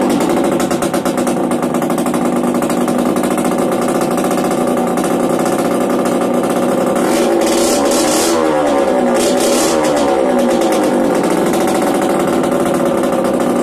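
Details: Yamaha DTR 125 two-stroke, first start after fitting unrestricted Gilera SC CDI, new seals, 240 main jet, powervalve fully open, Big One exhaust; crisp ringing burble climbing and falling cleanly with throttle blips, no misfire or knock: normal idle and revving.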